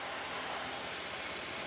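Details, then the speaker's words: Honda Beat FI scooter that would not start, traced to a badly failing shorted battery loading the electrics: steady, even putter with no misses or knocks; idling normally. "Normal teman-teman. Malah normal."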